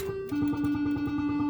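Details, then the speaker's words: 1980 Bally Skateball pinball machine during a game: plucked bell-like chime simulation tones pulse about six times a second with no background sound; the sound option setting is wrong, chimes instead of expected background noise. "chime simulation sound i don't want that and there's no background noise and i was certain when i had this before there was background noise and there wasn't chime noise"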